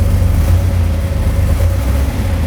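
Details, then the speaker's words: Dad's rebuilt truck with a mild cam, new exhaust and rear disc brakes, started without pressing the gas pedal: deep, steady low rumble with a slight cam lope and even firing, no knocks or ticks; healthy idle. "good. You can tell it's got a little cam to it. I can tell on the seat of my pants. A little bit. Yeah. Sounds real good."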